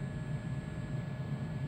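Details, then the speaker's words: Trane XC95m gas furnace after fixing a PS2 pressure-switch error: steady low hum with faint even pulse and thin whine as blower spins up, no inducer rattle – normal blower motor running. "all right and here is proof of it working as you can here there's the blower motor actually"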